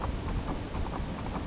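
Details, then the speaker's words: Lada Niva 4x4: dull uneven metallic clunks, three or four a second, as the propeller shaft is rocked by hand, showing play in driveshaft U-joints and spline joint, causing knocks when pulling away or shifting gears. "у кардана есть крестовина 1 и 2 осмотрите кстати видите люфт здесь уже есть люфт"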